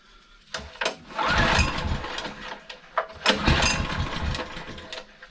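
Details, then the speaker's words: Honda EG1900X generator, Honda GX140 engine, stored over 10 years with fuel tap left on, before carb cleaning, at half choke: catches in uneven bursts, surging and sagging; runs only on choke, grim old fuel suspected. "so it's only running on choke which is expected I mean that fuel is pretty Grim so that doesn't surprise me really"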